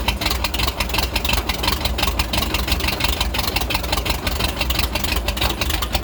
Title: Rough idle after snapping throttle